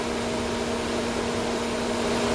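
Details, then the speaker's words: 2007 Mercedes cooling fan with about 6.5 V on the control signal and no request from the engine control module: steady loud rushing roar with a constant hum that never changes speed. Cooling fan stuck on high. "right around 6 and 1/2 volts that's putting the fan on high as I'm sure you can hear by it blur blaring away over there and again no control we're not requesting anything"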